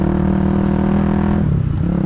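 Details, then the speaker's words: Honda GB250 Clubman with cleaned carbs and an aftermarket single-into-twin exhaust, accelerating through the gears to 50 km/h in third: a single-cylinder thump rises cleanly with a smooth gear-change dip. Normal acceleration and a healthy gearbox. "But as you can see, going through the gears very nicely. Up to 50 kilometers an hour, no problem at all, in third gear now."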